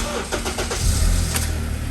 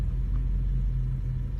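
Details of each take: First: 2009 Acura TSX after replacing the cylinder 2 ignition coil that caused misfire code P0302, flashing check-engine light and rough running: engine cranks, catches quickly and settles into a smooth, even idle with no stumble; misfire fixed, normal start and idle. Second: 2009 Acura TSX with flashing check-engine light and rough running, heard while driving: steady low rumble with occasional stumbles; random misfires mainly on cylinder 2 (P0302), diagnosed by plug check and coil swap.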